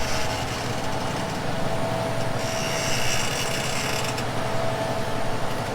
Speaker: Did you hear it slow down? So he's cutting real hard. You can hear the tractor working.